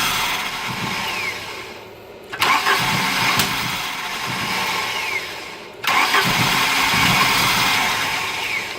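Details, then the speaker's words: 1983 Volvo 244 after upgrade to LH2.2 injection and EZK ignition with many new parts: starter cranks in two bursts with only a brief weak sputter, never runs, regardless of distributor position; both fuel pumps run, pressure unverified; cause unknown. "It does the same version of that anywhere within a reasonable range where it's at. Yeah, all we can get is a little sputter out of it."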